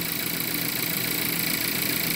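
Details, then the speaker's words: 2017 VW Jetta 1.4 TSI at steady idle with a light metallic rattle riding over it, like something spinning and knocking against something such as a fan; present since purchase, owner suspects the turbo, cause unconfirmed. "That rattle's always been in this engine since the day I bought it. Might have something to do with the turbo. You know, it almost sounds like something spinning and knocking up against something, like a fan knocking up against something, but very nice."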